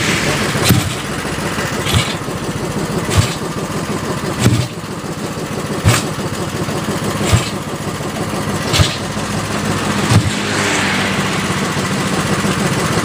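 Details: Yamaha Vega ZR with 200cc Mio cylinder swap (66 piston, standard stroke), Tiger carburetor, after re-jetting to main jet 145; steady idle with crisp, even blips about every 1.5 seconds, clean responsive pull, normal running.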